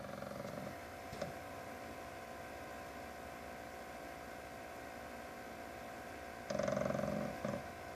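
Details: PS4 cooling fan by the motherboard cooling the CPU/GPU: steady whir broken by short, rough grinding bursts that come and go periodically, even at idle with or without a disc, worse in graphically intensive games; not the disc drive.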